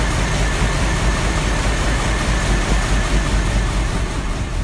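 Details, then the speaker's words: Petrol V8 idling evenly with a steady deep burble after a cold start, choke out, slightly squeaky belt; normal idle. "Sounds alright, doesn't she? Right, let's get it moved."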